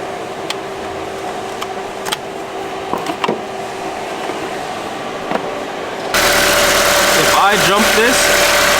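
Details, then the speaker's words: Honda S2000 at quiet idle with the AC on. A sudden clack brings in a steady whirring hum: the AC compressor (magnetic) clutch runs when powered directly, so its fuse is blown. The last compressor seized, and the coil may have melted. "it should activate the compressor you see how it does it yeah that means that the fuse is blown and now that i think about it it makes sense why the fuse would blow"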